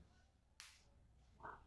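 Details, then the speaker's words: Fan start capacitor, charged from mains power strip then shorted across its terminals: one sharp crack of discharge spark, showing it held its charge; starting capacitor working. "So now we are going to discharge it, possibly. The spark. You may not see it, but listen for it."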